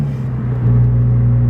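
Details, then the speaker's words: Car with hole in exhaust, muffler mid-pipe not at rear, louder than before: deep loud rumble swelling with revs, much louder than stock; owner suspects exhaust/muffler hole. "Probably can hear it, but yeah, I have a hole and this lot says wrong on my car."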